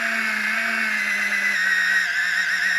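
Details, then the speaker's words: Gerui GR-12-005 electric cigarette-rolling machine: a steady motor whine that sags midway as it bogs. The motor is labouring against tobacco that is too moist and long. "Voyez, vous entendez le moteur qui force."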